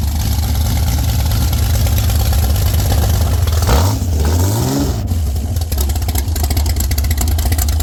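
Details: Former world-record Ford 300 inline-six race engine with Pro Stock Boss 302/351C head in a 23 Roadster, primed with alcohol: loud, lumpy, deep open-piped idle, quick blip up and back, settles to steady healthy rumble.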